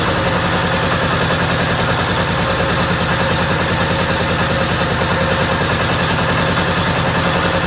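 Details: 1955 Cushman Truckster single-cylinder with aftermarket exhaust, started after pressurizing fuel tank with a little air to push fuel past air: steady even putter about 200 beats a minute, no misses or knocks. Normal smooth idle.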